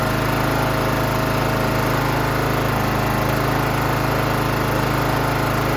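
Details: John Deere GT 275 Kawasaki engine after replacing a broken valve spring, with new valve cover gasket fitted dry: steady, even note at constant speed with a regular beat, no knocks or misses; runs smoothly and healthy.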